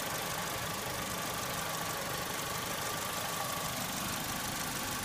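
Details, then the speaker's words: 2002 Saturn S-series with code P0440 still set after cleaning the metal hose into the exhaust manifold: steady idle with loose, uneven clanking like a muffled cowbell and an intermittent liquid gurgle; owner suspects the catalytic converter, cause unconfirmed. "Alright, clunking, gurgling, and liquid."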